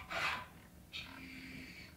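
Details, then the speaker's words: GMC/Chevy truck transfer case after installing new encoder shift motor, key on: short raspy whir then steady electric motor hum about a second shifting into 4 high; shift motor works normally. "Now it's actually switching and I can hear the motor moving."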